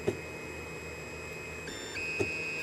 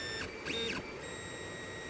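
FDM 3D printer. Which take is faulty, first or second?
first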